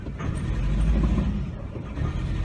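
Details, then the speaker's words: 1998 Chevy Cavalier running rough, stalling, lacking power, in drive on the brake with some gas: deep uneven rumble that bogs down, sounding like a fuel pump; cylinder 4 misfire. "That's what a fuel pump sounds like when you put a load on it. Put it in drive, step on the brake, give a little bit of gas, it kind of bogs down."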